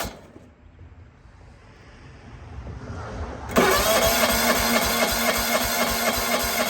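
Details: John Deere 165 Hydro lawn tractor with sporadic spark, cranking after a new cheap Amazon igniter chip was fitted: steady even cranking at about four turns a second that never catches or fires; no spark, open ignition coil secondary.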